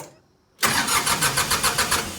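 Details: Old Ford diesel tractor, cold start without glow plugs after sitting a week or two, in neutral, with a rebuilt starter: brief crank, catches at once and settles into an even, steady diesel beat. Healthy cold start; a small leak is suspected.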